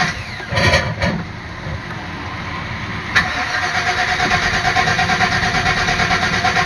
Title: Van won't start again